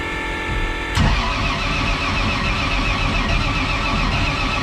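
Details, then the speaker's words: Camaro engine settling into lumpy idle with a loose metallic rattle from torque converter bolts, which work loose after two or three events however tightly torqued. "you can hear it rattling really bad right now because the uh after like two or three events the converter bolts will start to get loose"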